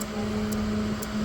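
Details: LG NeoChef inverter microwave with the cover off, turntable rotating and no error or door alarm. Steady low mains hum and fan whirr but no heavy magnetron buzz, and it does not heat. Magnetron fault.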